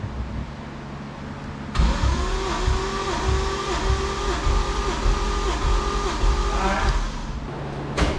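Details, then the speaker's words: Right-hand-drive MK3 Supra 1JZ, sat two years, smoking, burning oil, running rough, with fuel-flooded plugs, cranked with throttle floored for a compression test: steady, even five-second cranking beat, no weak strokes; compression good. "Okay, so compression test, good. Yeah, compression test came out good, but that's only the first half of the story."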